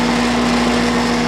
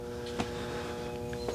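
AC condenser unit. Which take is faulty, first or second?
second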